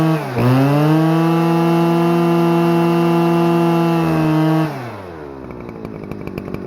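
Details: Stihl FS-250R 40cc two-stroke trimmer after a carb rebuild replaced the diaphragm hardened from sitting with old gas, on 50:1 ethanol-free mix: snaps up to a clean steady high scream, holds, drops smoothly to idle; revs high, runs great.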